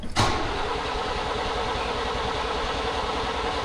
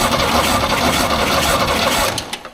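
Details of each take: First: 1938 International pickup, a donor that did run before, with a battery hooked up and a shot of gas: the starter turns the engine steadily about four seconds but it never fires. Owner unsure why, maybe electrical problems. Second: 1938 International pickup cranking during a plugs-out compression test, readings about 160–190 PSI: quick, even starter chatter with a steady beat, no stumbling. Strong normal cranking; owner then suspects bad plugs or no spark.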